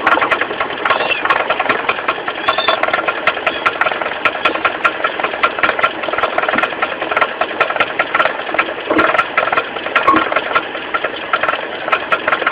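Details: 4G15 carburetor engine at idle with uneven knocking, about one a second, low at the front from the loose crankshaft pulley. The pulley was not replaced; the knock was fixed by tightening it.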